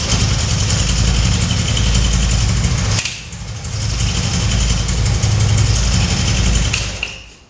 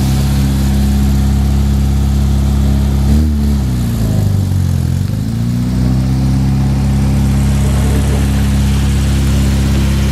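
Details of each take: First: 1966 Triumph Spitfire MK2 four-cylinder on adjusted carbs, started to test the ignition: uneven, lumpy idle that stumbles, recovers, then dies; still misfiring; owner then rebuilt the carbs, but the cause was two spark plug leads swapped. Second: 1966 Triumph Spitfire MK2 after the misfire fix: engine now runs on all four cylinders instead of two, with a steady, even note that dips and picks back up with a brief blip, no stumbles; carbs still need tuning.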